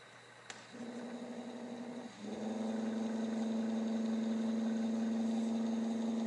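Motor spins up smoothly, steps up in speed near two seconds, then holds an even, steady whir with no knocking or roughness.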